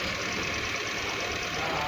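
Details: Suzuki engine starting and idling after a cylinder head repair for a P0301 cylinder 1 misfire with occasional stalling. Even, steady running with a smooth hiss and no misses or knocks; idling normally.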